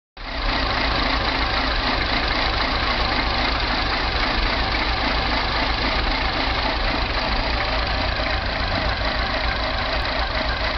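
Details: Mini petrol engine idling unevenly, the beat wavering and lumpy rather than steady, no clear knock on top; rough idle with no codes stored, timing chain suspected.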